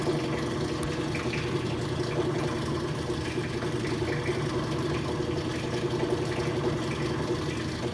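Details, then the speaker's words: Rotary vane vacuum pump on a neon bombarding/processing bench pulling down vacuum through the manifold: even, continuous low drone with no knocking or gurgling; normal running, system still outgassing. "sucking down a vacuum. i like it. the pump down there... pumping. good job, pump."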